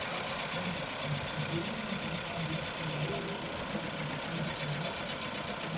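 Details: Nissan Juke idling: uneven, faintly lumpy beat with dull irregular low pulses; misfire at idle, with coil and compression testing giving bad results.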